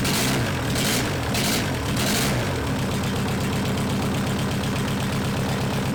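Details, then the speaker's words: Junkyard VW Caddy 1.9 SDI diesel, about 190,000 km, after bleeding fuel lines, started easily without glow plugs connected; few cranking bursts then catches into steady even diesel idle clatter, running fine. "that thing started easily easily without any glue blocks connected so I'm very happy"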